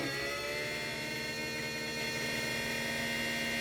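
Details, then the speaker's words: 3D-printed axial-flux BLDC motor driven by Arduino controller, first test run, unmounted: high steady whine with uneven fast pulsing buzz; owner suspects something vibrating loose and it needs mounting. "i think the problems it's having it needs to be mounted on a pcv i think something's probably vibrating loose hear that"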